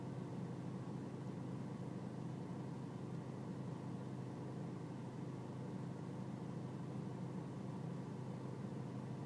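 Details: BMW E46 320cd diesel at low engine and outside temperature: low, steady idle rumble with a slightly uneven, lumpy beat underneath; a rough cold idle, cause not yet pinned down.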